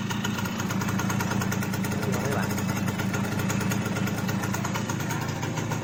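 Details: Simson S51 two-stroke, first cold kick start after about two months stored, freshly refuelled with mixed petrol and oil: buzzy, slightly uneven idle ticking over steadily, running fine with lots of smoke.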